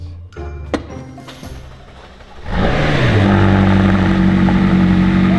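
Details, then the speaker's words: McLaren 600LT being rebuilt after a crash: engine catches and settles straight into a steady, even idle with no knocks or misses while coolant is topped up with it running; no leaks so far. Sounds smooth. "Sounds smooth. I was just adding some coolant whilst it was running to make sure it stayed at the correct level."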